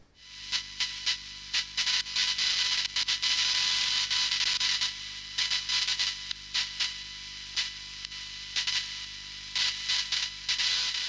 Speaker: And the latest problem I'm seeing more of than anything else is chatter from USB devices because people use USB sound cards and a lot of audio equipment is USB enabled and USB produces this kind of a sound.